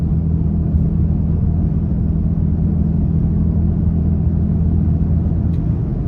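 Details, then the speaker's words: Toyota Tacoma at 55 mph on the highway with a new roof rack and the wind deflector removed. A steady low droning hum sits over road rumble, wind roar through the rack's cross members and front bar, judged nothing horrible. "I mean it's you know it's nothing horrible and again unless you're very sensitive to that"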